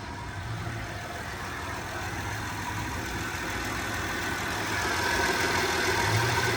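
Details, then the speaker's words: 2010 Honda Pilot, long parked, jump-started with a booster pack: even steady idle with soft low hum, no ticks or knocks, purring smoothly; normal idle. "the Honda on the other side is really, listen to that thing purr like a kitten."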